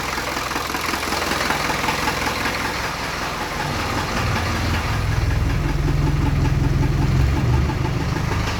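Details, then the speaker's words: Land Rover 2.25 diesel started cold after sitting a month, out of gear: it clatters at a slow, lumpy idle that has sagged low, then picks up when raised on the hand throttle. "good idol's gone down a little bit low"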